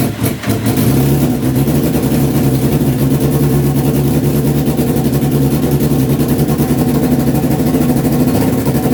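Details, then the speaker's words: Honda CBR929RR SC44 turbo build, first start attempts with fuel added incrementally, not yet dyno-tuned: long cranking with ragged half-firing pulses never settling; flooding, suspected oversized injectors, owner plans to refit original injectors. "so I've tried a few more times starting to flood it a little bit so I think the injectors I've gotten a 600 or where we're waiting big how the suspicion that was going to be the issue"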